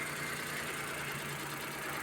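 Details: Suzuki minivan D63 engine after fixing cylinder 2 misfire (valve clearance adjusted, new head cover gasket; plugs and coil already replaced): smooth steady idle, no stumble, check engine light cleared.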